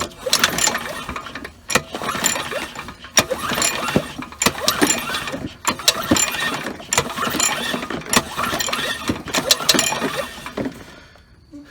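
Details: Curbside Troy-Bilt self-propelled mower, Briggs and Stratton 675 series 190cc: about eight pull-start cranking bursts never firing; no spark, magneto suspected, traced to a grounding kill switch.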